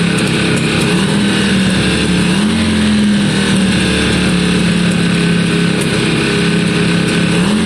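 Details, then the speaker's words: 2002 Yamaha Virago twin after carb cleaning and new coils: steady, even idle with both cylinders firing and an odd faint pop or spit every few seconds; much better, but slight spitting remains, as with the old coils. "It's not shocking, it's idling fine, both cylinders seem to be on. It does have a little spit here and there, but much better."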